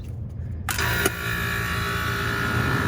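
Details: Walk-in cooler rooftop refrigeration unit restarted after electrical repair; sharp contactor clack, then compressor settles into a steady even hum with a faint tone. Normal running.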